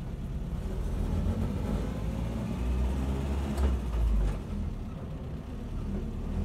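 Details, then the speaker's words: 1976 Land Rover Series 3 109 with a 2.25 petrol engine, driving after a new exhaust was fitted. Much quieter: an even low engine purr instead of exhaust roar, though still noisy with no soundproofing. "Definitely a lot quieter. I don't know if it picks it up on the video. Definitely an improvement, even though it is still noisy. Not quiet as the vehicles, no soundproofing on anything. But I can hear more of an engine purr rather than an exhaust roar."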